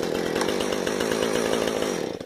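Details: 455 chainsaw after idle and carburetor adjustment, started with decompression valve: small two-stroke buzzes at a fast, steady idle with even firing and no stumbling; normal idle.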